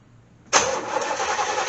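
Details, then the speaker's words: C4 Corvette with Cross-Fire injection, fuel pump relay pulling in and fuel heard reaching injectors but they don't fire; starter churns steadily, never catches; owner suspects the ECM. "I can actually hear the fuel coming to the fuel injectors. You can actually hear it. So they're just not firing."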